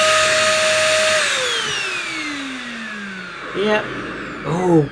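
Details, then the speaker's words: One Concept Pila bagless vacuum cleaner in use: motor whine falls away, then two short rising squeaks about a second apart, thought to come from the hose rather than the wheels; squeaking while vacuuming. "oh dear I think that squeaking noise you know it is it does sound a bit r2d2 as if it's trying to speak to me but I think it's I think the squeaks coming from the the hose rather than the wheels"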